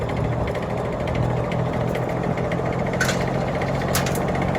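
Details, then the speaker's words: 1950s General Electric three-speed box fan on low, shipping-damaged: low motor hum with rhythmic rattle as it shakes violently from an out-of-balance blade; bearing has play, motor loud and needs oil. "that is shaking worse than i have ever seen a fan shake this thing needs to be balanced"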